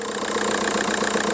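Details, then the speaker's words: VW Golf Mk4 PD130 diesel, just started after injector loom replacement and EGR valve refit: even, steady idle with soft regular clatter, no misses or knocks; "loads healthier, listen to that baby purr"; normal idle. "loads healthier that look no healthier listen to that baby purr"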